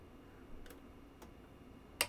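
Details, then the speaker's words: PR-7820 DiscoVision laserdisc player: irregular sharp clicks over a faint hum as the focus actuator slams its end stop, unable to lock focus though laser, disc speed and alignment seem good; caps suggested, owner doubtful. "so you hear that clicking that clicking is indicating that it's like it's slamming itself against the end stop trying to focus but it can't focus"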